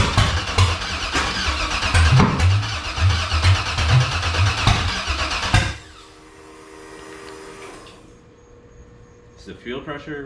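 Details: Factory Five 35 Hot Rod Truck, second first-start attempt after the fuel system sat long and dry: even, rapid cranking for several seconds, never catches. A ruptured fuel hose was found afterward. Cranks, won't start.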